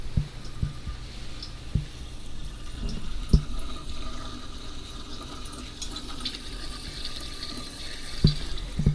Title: Running Toilet? Fix These Valves FIRST!